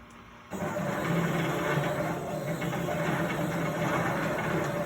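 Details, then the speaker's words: Plasma table with OpenBuilds BlackBox controller just replaced, NEMA 23 high-torque steppers, OpenBuilds power supply, lead screws move freely: uneven jittery buzz, motors sound maxed out, jumping at the same spot on each cut. "sounds like the motors are being torqued to the max those are the nema 23 motors the high torque motors that i have"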